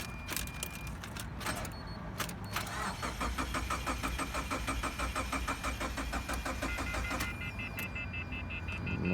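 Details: 2013 Subaru Impreza, no-start with code P1724, on jumper box; slow uneven cranking about three turns a second with no firing. Owner suspects battery too dead, not confirmed.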